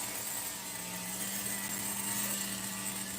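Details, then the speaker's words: Megatech nitro RC engine during restoration, carb test with cool head; high thin buzz holding constant pitch for several seconds without dipping or hunting, idle consistent: normal idle. "I'm doing a test of the carb to see if it holds a vacuum. But I don't mean a vacuum. I mean the idle is consistent. So far, the idle is consistent."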